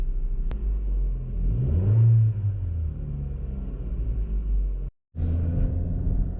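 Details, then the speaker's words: 2012+ Chevy Sonic/Cruze 1.4L, heard in cabin while decelerating after passenger-side motor mount replacement: deep even rumble, no shudder or banging; before, the whole car shook when decelerating, now pretty quiet. "yeah no that was that was the whole problem I mean these cars the motors are still kind of loud but before when I was decelerating like this I mean the whole car was shaking and now it's pretty quiet"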